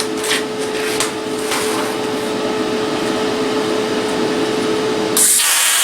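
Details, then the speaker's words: Cheap eBay plasma cutter, first-time user, cutting 3/16 steel slowly; steady hissing roar with thin constant whine, cut looks nice when slower. "yep when i go slower it cuts really nice"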